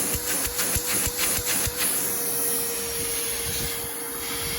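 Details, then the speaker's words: Porter Cable 4 gallon shop vac found in the trash, after repair and cleaning, switched on with no suction load: a few rattly clunks at switch-on, then steady even whine holding one pitch, no grinding; healthy vacuum. "I'm just gonna turn it on let you guys hear it that's pretty damn good"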